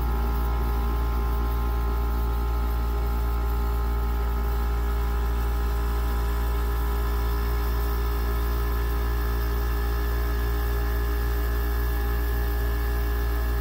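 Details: Goldstar WG5004 5,050 BTU pancake-style window air conditioner: smooth constant hum with steady low drone and even fan whir; cold air coming out, normal compressor and fan operation.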